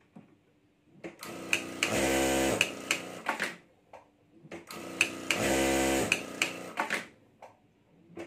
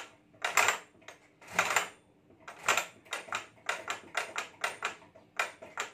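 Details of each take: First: Sewing machine after repair, test stitching: smooth bursts of rapid, even needle strokes with clean motor hum between stops, no knock or grind; fault fixed and machine sewing properly. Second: Stitching machine running, same noise when starting and stopping: irregular sharp clatters about one a second then quicker, little motor hum; something loose knocking inside, to be opened and inspected.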